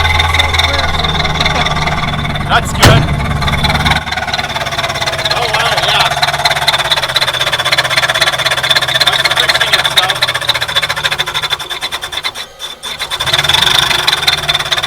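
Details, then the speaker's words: Ford Thunderbird, first start since last season, with a pulley hitting the crank pulley: a harsh, steady high scrape rides over the loud idle. The pulley is rubbing and shedding aluminum flakes until it self-clears. "I can kind of hear that pulley. I think I'm hearing it."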